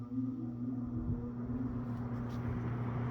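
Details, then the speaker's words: Eskimo box fan model 201083 on low speed gives a steady low hum with a faint pulsing wobble underneath. The fan is out of balance: the blades are out of clock and the hub is slightly wobbly. "This is the same fan that I recorded a video of about 3 days ago on a YouTube short. It's out of [Music] balance, but I do low speed."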